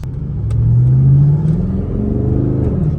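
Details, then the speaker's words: Chevrolet Camaro SS bought cheap at auction and being rebuilt, coolant very low, pulling away down the street: the deep V8 note climbs smoothly, then eases off with no misses, knocks or rattles, so the engine sounds normal. "Sounds good. I know these things aren't hard to drive. They don't have that much power."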